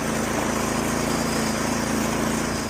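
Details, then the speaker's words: Lawn mower starting up after a new HIPA carburetor was fitted: small engine running steady and even with a smooth buzz, no misses or surging; runs normally after the repair. "We changed out a new HIPA carburetor for him last time, and let's see if it starts up. Beautiful."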